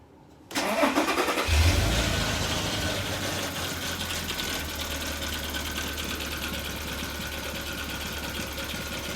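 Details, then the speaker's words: 2006 VW Passat 3.6 4Motion at idle: faint quick even tapping, seemingly from the timing chain area, persisting after camshaft solenoids were replaced with new ones; cause unknown. "I change them with the brand new ones I still have kind of tapping noise from the engine I don't know what's going on"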